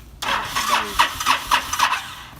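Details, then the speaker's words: Honda VTX1300, stored five years, old gas topped up with fresh and smelling of varnish: rapid cranking with uneven coughing bursts that never settle into idle; needs choke held to start and stalls; hard starting from stale fuel. "well have to pull the choke and pretty much hold it to get it to start yeah is really the thing and then It's tricky to get it into first and to get it moving and have it not stall out because of the gas"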